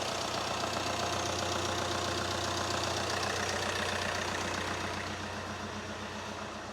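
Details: VW Caddy after a 1.6 to 2.0 TDI common-rail engine swap, first start after timing belt and wiring work: steady, even diesel idle with a regular clatter and no misses or knocks. No engine light, cooling fans running; the engine is healthy.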